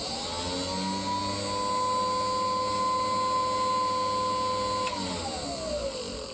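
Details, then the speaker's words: Small steam-raising blower fan for a miniature steam locomotive, after repairing a failed bearing and mounting the motor on stanchions away from the hot casing: steady clean whine without rattle, then smooth spin-down; runs smoothly now. "So that's the fan back on its tube, ready to take all the gases out of the shed when I have the next steam up, and it runs nice and smoothly now."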